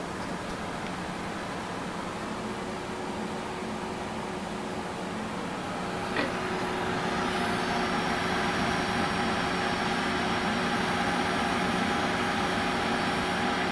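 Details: Water-cooled GTX 680 graphics card under full load: steady electrical buzz with a thin high hum over fan-like hiss, firming up as load rises; buzz only under full load, cause unknown.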